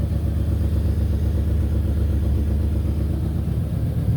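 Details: Ford/Lincoln 4.6L 32V V8 after repairing blown-out spark plug threads with threaded insert and Loctite: even, steady rumble with no misfire stumble, ticking or hiss; normal running.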